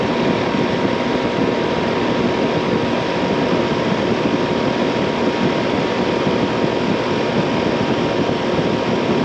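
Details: Outdoor AC condenser unit, about 15 years old and never serviced, loud at night; 104 degrees outside: loud steady roaring drone with faint constant hum; noisy condenser fan, worn motor bearings suspected, motor to be replaced.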